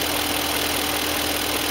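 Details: BMW E38 engine with 150k miles after new Bosch Platinum 4 plugs and Bremi boots, replacing split boots that caused knocking, engine cover off: even, steady idle with light uniform tick, no knock or miss; runs smoothly.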